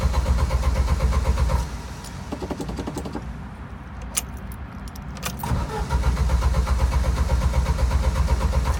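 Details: Original Jeep YJ that keeps dying while driving, with a rich gas smell and intermittent clicking: steady starter cranking at about four beats a second, stopping and restarting, engine never catches; cranks but won't start, cause not found.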